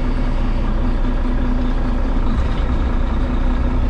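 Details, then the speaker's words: Cabover diesel truck "Betty White" with low air pressure, in first trying to reverse: loud, steady diesel drone under load that doesn't change while the wheels just spin; owner suspects a locked-up brake. "trying to go backwards in first we're just spinning son of a"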